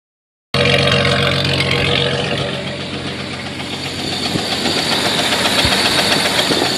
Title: Jeep wrangler knocking noise?